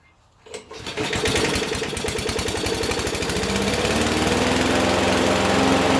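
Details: Abandoned Huskee XT650 that sat in a yard a year or two, restarted after its first run: after a few cranks it catches and settles into a steady, even single-cylinder beat, no misses or knocks.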